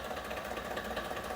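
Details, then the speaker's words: 2024 Ford F-150, 5.0L Coyote V8 at idle: light, steady diesel-like ticking knock; a technical note describes a light ticking and knocking noise at idle as normal with no repair, though this one seems louder. "we got a 2024 F-150 with a 5 L Coyote engine listen to this sounds like a knock almost sounds like a diesel"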